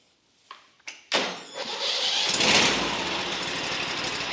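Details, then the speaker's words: Lumbermate 2000 sawmill with a Vanguard V-twin engine, started on choke with the key: a couple of short cranks, then it catches at once and settles into a steady, even run; clean start. "Fired right up."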